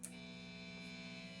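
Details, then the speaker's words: Vintage V6 Strat-style guitar with stock Wilkinson WVS Alnico V single-coil pickups, not being played, amp up to 10 with distortion: a steady low buzz with a thin high whine; 60-cycle single-coil hum. "that's not fun to listen to when I'm thinking about what to play next, right? That's not cool. So there's a buzz going on."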